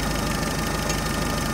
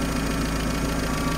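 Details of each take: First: UAZ 31512 engine idling at about 760 rpm after the distributor was turned and the timing set with a strobe: steady, even, slightly rattly beat with no misfire, running smoothly. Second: UAZ 31512 carbureted engine at idle before strobe-light ignition timing adjustment: lumpy, uneven idle with a ragged knocking pulse, because the ignition timing is set well off.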